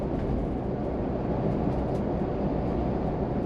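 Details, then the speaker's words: Ford Bronco driven over bumps after the roughly $6, 10-minute hardtop latch pin rattle fix: only steady cabin road rumble, no clicks or rattles; hardtop latch now quiet. "But at the moment, I'm not hearing anything. And again, it was right here. I haven't heard a click."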